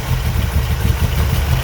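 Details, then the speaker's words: 1985 Dodge D150 with a 408 stroker Mopar small block (360 base, Comp roller cam, Holley 850 carb, MSD ignition), cold and not started in a while, vacuum lines just fixed. Deep, uneven loping idle pulses with stumbles: rough cold idle. "Okay so starts running a lot better it's a little rough cold it hasn't started in a while"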